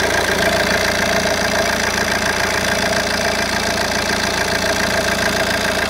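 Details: Opel Vectra C 1.9 CDTi Z19DTH diesel idling smoothly, then a fast uneven metallic rattle over the clatter once AC is switched on; AC compressor brand new, fitted one day earlier after the old one was suspected failed.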